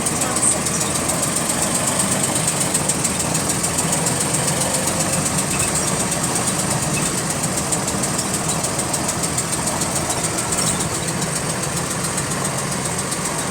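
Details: GAL WVL358 bus on route 486: steady diesel idle with fast, even ticking keeping pace with engine speed; repetitive clicking with engine speed, source unknown.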